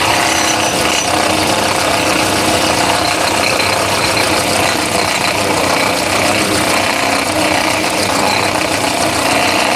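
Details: 2017 Honda Accord petrol engine at idle: a loud, steady ratcheting clatter from a faulty alternator decoupler pulley (clutch), which only rattles sometimes; fix is replacing the pulley.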